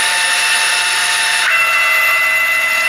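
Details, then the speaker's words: Chinese 6040 CNC with stock transmission, retrofitted with a G540 motion controller, axes traversing: steady, even high-pitched stepper whine with a clean tone shift and no knocks or stutter; smooth, normal motor motion. "house excuse me can hear how smooth is motor sound I mean the transmission on this machine is stocked"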